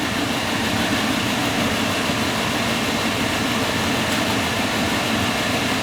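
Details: Field power venter reported making loud noise, tested running in place: even steady fan whoosh with no wobble, rattle or vibration; judged fine, bearings likely just need oiling.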